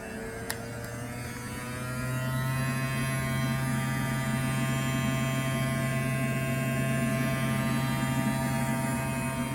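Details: Tesla Model 3 on a hot day: steady low buzzing hum with whining overtone from the air conditioning, stopping when the AC stops. Cause unknown; vent checked, no leaves found.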